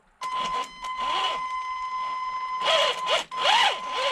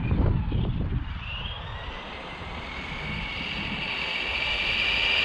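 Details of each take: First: HG-101 1/10 budget short course truck, 550 motor, out of the box: bursts of motor whine rising and falling over a high tone with a scuffing edge; sounds like rubbing, owner suspects the motor/pinion mesh is too tight, binding. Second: HG-101 1/10 short course truck, 550 motor on 2S, after fixing out-of-box issues (suspension adjusted, body trimmed from rubbing rear wheels), speed run about 19 km/h: motor whine climbs steadily as it speeds up, no grinding or clicking; runs clean.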